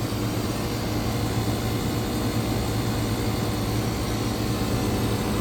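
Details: Electro Freeze ice cream machine condensing unit, slightly overcharged and being set to about 175 psi head pressure after a CAN RFG error and a cabinet that would not pull down: steady compressor hum under constant fan rush, no knocking. Running smoothly.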